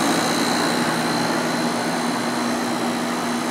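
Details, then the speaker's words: 1995 Sharp 10,500 BTU window air conditioner, Matsushita compressor, Samsung fan motor, after cleaning and bearing oiling: steady rushing condenser airflow over smooth compressor hum, no knocks or rattles; running normally. "lots of airflow for the condenser"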